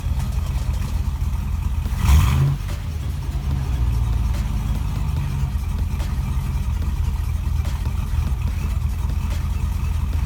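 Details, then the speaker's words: Chevrolet Avalanche V8 idling steadily with one quick rev after swapping the cam sensor and relocating a ground from the valve cover; P0300 random misfire code gone, no misfire heard. "so we now no longer have a p0300 misfire code and it's not super obvious anyway we have a misfire anymore because it's not misfiring on an entire bank"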